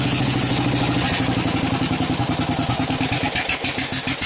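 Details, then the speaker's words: Craftsman riding mower, warm, just filled with oil and smoking: small engine putters unevenly, runs really rough and won't hold idle, stumbling and slowing until it dies; rough running, stalls at idle. "I went to go start it up there. And it started, but it just ran really rough, and it didn't want to idle."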